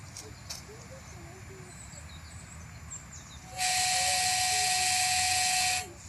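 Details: DJI Phantom 2 with H3-3D (Zenmuse) gimbal tilted to 90 degrees: steady piercing high whine with hiss for about two seconds, gimbal motor straining at full tilt.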